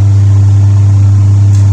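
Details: Twin-tub washing machine reported dead, motor or wiring suspected; on the wash cycle the motor runs with a steady low hum at constant pitch, no scraping or knocking, turning normally.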